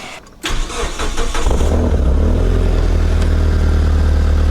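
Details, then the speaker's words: Mitsubishi Lancer CE after reassembly and earlier wet-sounding coil work: short crank, quick catch, fast idle flare, then it settles to a deep, steady idle with no misses. Normal start and idle. "sounds much much better that's what the other one used to do fast Auto and then it settles back down"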